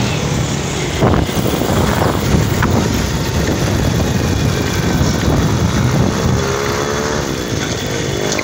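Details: Honda XRM110 before overhaul, recorded near the engine in second gear: a harsh, rough, helicopter-like mechanical noise over the exhaust as the engine pulls; a broken or chipped tooth on the second gear is suspected.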